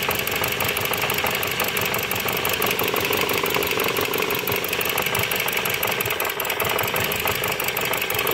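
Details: Dodge Journey 2.4 with replaced engine, computer and harness, misfiring at idle: a sharp, regular metallic tapping like a rod or main-bearing knock, suspected but not confirmed. The engine also throws heavy oil; coil secondaries were being scoped.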